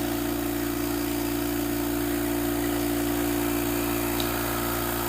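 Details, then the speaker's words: Oil-lubricated Apollo dental air compressor building up to pressure; steady, even motor hum with a smooth pump beat, quiet, no knocks or squeals; normal running. "We'll watch this guy go all the way up to pressure and see what a normal sounding compressor sounds like. You'll notice just how nice and quiet the compressor is. It's very steady."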